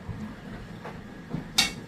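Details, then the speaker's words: Washing machine mid-cycle with about 45 minutes left: low churning rumble broken by soft thuds and a sharp metallic clang, repeated banging noises. "여러분 아빠가 빨래 들리고 왔는데 이상한 소리가 계속 나요. 아까 전막 탕당탕 꽝 이런 소리."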